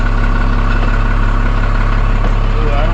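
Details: 1991 Freightliner FL70 tow truck, believed 5.9 12-valve Cummins diesel, sat about 15–20 years; started right up like a champ: steady even diesel idle, regular low beat, no knocks or misses, good oil pressure; normal idle.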